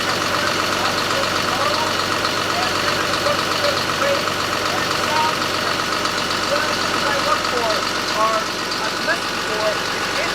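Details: John Deere 6068AFM75 266 hp marine diesel on a Nordhavn 52, about 11,000 hours, recorded in the engine room after the accessory drive belt and bearing check: even, steady idle with a regular beat, no squeal or chirp; healthy.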